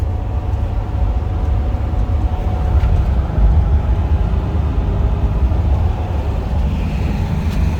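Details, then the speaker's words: Classic car with 44,862 miles, driving at about 35 mph: steady low tyre and road rumble with the engine barely audible underneath; very quiet, smooth normal running. "it sounds like a kitten current yeah it does oh my god that thing is really quiet"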